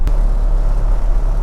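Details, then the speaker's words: Toyota Land Cruiser abandoned for 8 years, driving at about 50 mph: a severe steady low droning boom sits under the tyre roar, a driveline vibration. "I mean, it is really quite severe this vibration. So, place your bets on what you think it might be. It's going to surely be something like a drive shaft, a prop shaft, or the the a universal joint."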